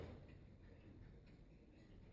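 Faint, even ticks about twice a second with a quiet room behind; a steady, regular beat from a healthy clock.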